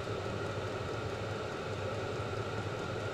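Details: Vevor 5 kW diesel parking heater on kerosene and a 12 V battery, under 5 minutes running. Camera about 2 ft away, slightly above the blower outlet. Exhaust pipe reading 36. Steady even burner roar, low rumble, no sputter or pulsing. Normal running.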